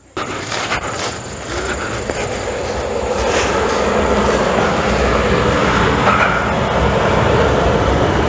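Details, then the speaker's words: Suburban SF RV furnace fired up after replacing its exploded blower wheel. A sharp ignition, then a steady rushing roar with a light rapid flutter: blower and burner running properly. "houston we have ignition so let me go cut it the people don't need any more heat in there today"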